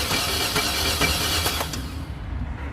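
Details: 2002 Chevy Silverado that won't start: starter cranks with a rhythmic whirring for about two seconds, then stops without the engine catching; spark confirmed present, compression check next. Cause suspected, not confirmed.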